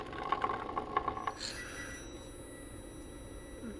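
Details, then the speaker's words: Brushless motor in a 1/8 scale RC hydroplane; faint, irregular clicking stutters for about a second as it twitches without spinning and gets hot, reaching 119; the ESC has failed. "it's getting hot yeah oh yeah yep it's shot geez 22 esc shot"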